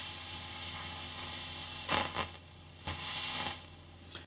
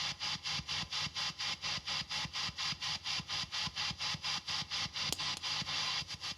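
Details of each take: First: Fender ProSonic valve amp on the bench after a full recap, miked at the bench cab. Steady hiss and hum with irregular scratchy crackle bursts as the normal channel's volume and treble controls turn: dirty, noisy pots. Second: Fender-style PCB tube amp with TAD red-base power tubes biased about 18–19 mA per side, speaker and speaker cable replaced: hiss swells and fades about twice a second over a faint soft thump, a mild, normal tremolo pulse.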